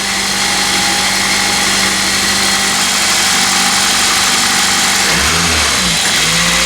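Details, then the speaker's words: Car with about a quarter million miles and no maintenance records, at startup after sitting: a quick uneven rattle around four per second over idle that continues through a throttle blip; suspected pulley, bearing or possibly original timing chain. "you can hear a little bit of a sound from this general area over here which is definitely rotational might be a pulley might be a bearing could be a timing chain uh it does have a little bit of a rattly startup when it's been sitting"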